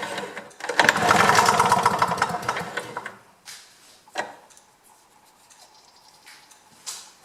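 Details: GRW DDR Simson BM40-2 two-stroke lawn mower, reassembled, carb cleaner sprayed in: a few pulls, then it catches and buzzes about two seconds before dying, running only on the sprayed cleaner; cause not confirmed.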